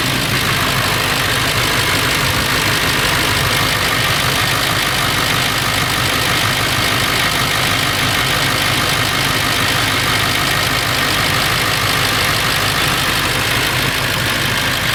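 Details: Late 1999 Ford F350, 7.3L Powerstroke diesel at idle: loud, busy, loose uneven metallic rattle over the clatter, more pronounced under the truck; owner suspects flexplate or engine, unconfirmed.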